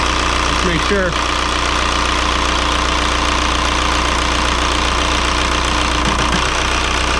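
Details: 2003 VW Jetta TDI 1.9 ALH diesel, manual, just after swapping the 10mm Bosch VE injection pump for a gunked-up 11mm pump: steady, even diesel clatter at idle, air apparently out of lines, all cylinders pulling evenly; normal idle.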